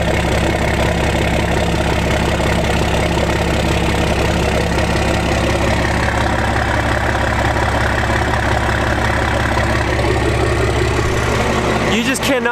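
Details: 1991 first-gen 12V Cummins 5-speed with VE pump, just after a quick cold start: low, steady diesel clatter at an even idle with no stumble or misses. Normal idle.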